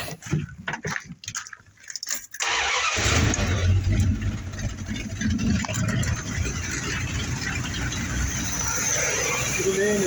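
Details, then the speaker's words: 1986 Dodge W150 with a 5.9 (360) V8 and dual-pickup distributor, after a no-spark no-start was fixed by replacing the start/run relay; brief cranking, then it catches at once into a steady, even idle with no stumbles. "Put that relay in, and it fires right up."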